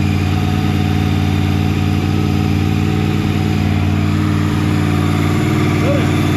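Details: Honda VFR800 VTEC V4 after timing and valve work, warming up before throttle body synchronization: steady idle with a slightly uneven, lumpy beat underneath; runs acceptably, but throttle bodies are badly out of sync and need synchronizing.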